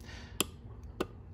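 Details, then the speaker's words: Four-pin relay on an ES192 12/24 V relay tester: two crisp sharp clicks about half a second apart over a low hum, green light, relay good. "and you can hear it clicking through open and close and then the green light is uh you know lit up so this relay here is good"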